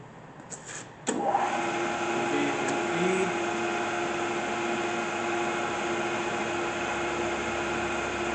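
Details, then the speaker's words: 1997 Acer Ultima 3Vk 10x50 vertical milling machine, 3 hp head, very little use, just switched on: very quiet, even spindle hum with steady mid tone, no knocks or grinding; healthy running. "Very quiet."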